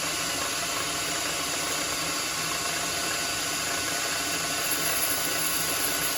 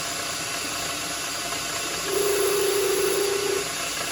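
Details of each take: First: Lathe turning an 8 mm solid brass rod down to about 7 mm for shelf pegs: even, steady cutting hiss with no squeal or rhythmic buzzing; smooth cut without chatter. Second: Lathe turning an 8mm solid brass rod down to about 7mm for M7x1.0-threaded shelf pegs; a buzzing mid-pitched tone rises over a steady motor hiss as the tool chatters, before oil is applied.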